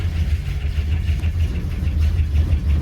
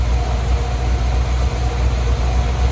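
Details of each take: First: Old crew cab truck's V8, first start since spring: uneven idle just after cold start with light quick ticking on top; bad lifter tick that goes away somewhat over time as it runs. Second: 1983 Dodge Prospector with freshly swapped V8, warm with thermostat open, water pump still leaking: smooth even low rumble with steady beat, no knocks or misses; normal idle.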